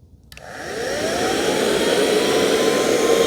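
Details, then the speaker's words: 2005 Mercedes CL65 AMG twin-turbo V12 secondary air injection pump bench-tested with a power probe before fitting: clean spin-up to a steady, even whine with strong airflow; pump works normally. "the purpose of the secondary air injection pump is to literally blow air into the exhaust before the catalytic converter"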